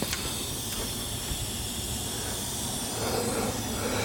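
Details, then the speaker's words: Boost leak test on a Caliber SRT-4 intake using a home-made 3-inch tester and portable air tank: steady hiss of escaping air as pressure is applied, pressure falling to zero; leak suspected at the throttle body, not confirmed. "So it sounds like it's coming from my throttle body or so"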